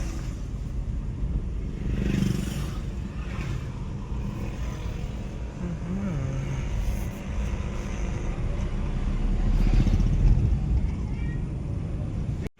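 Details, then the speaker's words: Hyundai i20 on a test drive after rear brake linings, a leaking brake cylinder and machined drums were repaired, plus front and rear work and wheel alignment: steady road and engine hum with no clunks or knocks; the earlier suspension noise is gone. "आता आपण trial आलोय गाडी एकदम okay झाले सस्पेन्सचा आवाज जो होता तो सगळा क्लियर झाला"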